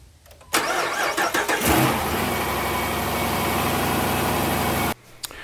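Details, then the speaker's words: 2015 Dodge Durango in cold autumn weather, battery reading 12.53 V before cranking: the starter drags sluggishly for about a second before the engine catches and idles steadily; slow crank from a weak battery needing replacement. "when you first start uh to Crank It Like It struggles like there's not enough ump from the battery and U we're in the the fall of the year so it's getting colder and then that Situation's more pronounced so I am certain that this thing needs a battery"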